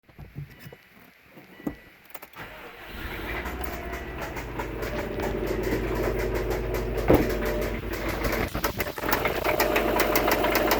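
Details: 2002 Subaru WRX engine starting and running: light, fairly regular ticking over its steady hum; cause not identified.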